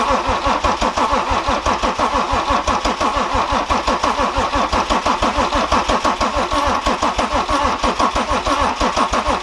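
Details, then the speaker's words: BMW N57 diesel after timing chain and main bearing replacement, first crank-up with injectors disconnected to build oil pressure: steady rhythmic cranking, about three compression strokes per second, no firing. "so now i'm going to do the initial crank cup and we're just going to crank for 20 or 30 seconds and after that we're going to connect the injectors"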